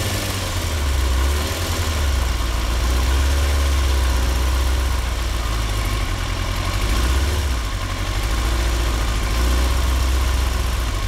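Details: 2003 Yamaha R6, 35,000 miles, BMC filter, Yoshimura exhaust, idle set at 1350: an uneven, lumpy idle that surges and sounds like a V-twin, worst at 2-3k rpm, with random rpm jumps, yet it runs fine while riding. It was fixed by replacing the ignition coils.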